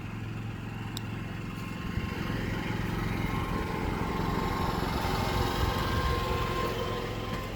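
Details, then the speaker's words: Yamaha generator with NPS eco kit, no load, about 55 dB on a phone app: quiet, even hum at steady speed with no surging or rattles; healthy generator running without load. "No load on the generator. It's running about 55 decibels on my little app for my phone."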